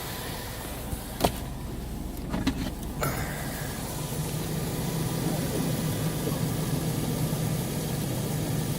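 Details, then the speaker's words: 2003 Chevrolet Tahoe 4x4 5.3L V8 parts truck, about 148,000 miles, coolant line disconnected, ABS light on: even, low idle with a steady rumble after a few handling knocks; no misfire or stumble, runs smooth. "And as you can hear, it's running nice and smooth."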